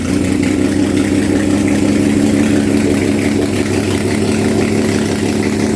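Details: RB32 straight-six (3205cc) on test stand after ARP rod bolts, rechecked bearings, timing and Haltech map tweaks, run to 82°C, 150 psi compression all cylinders: steady smooth idle, even low burble, no knocks or ticks; normal idle.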